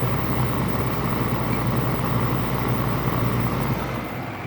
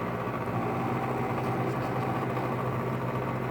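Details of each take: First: LG 5,000 BTU window air conditioner, compressor running with fan on high, afternoon sun on the condenser: steady low hum with dense airy rush, refrigerant flow audible, slight rattle not too bad; normal compressor running. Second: LG 5,000 BTU window air conditioner running in the afternoon with sun on the condenser: steady compressor and fan hum with a fine buzzing rattle over it. Most of the noise is a loose front panel vibrating against the unit.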